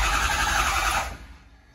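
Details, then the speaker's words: Crank no start on a 6.0 Powerstroke: the starter spins steadily with no firing. Injection control pressure jumps around and won't reach 500, traced to a faulty ICP sensor rather than the high-pressure oil pump. "So you can see how ICP is jumping all over the place. It's not making 500."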